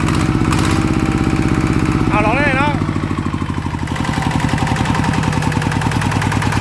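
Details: Single-cylinder ET diesel (ET95/ET110 pair) test-run after refit for water pumping: fairly steady quick chug firing evenly without misses or knocks; runs acceptably, though non-DI engines pull less at low rpm.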